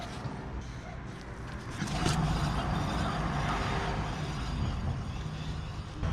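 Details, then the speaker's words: 2010 Citroën C1 front wheel hub turning: steady low roar from a worn front wheel bearing, recorded before bearing replacement. "I hope you can hear the the roaring sound coming from."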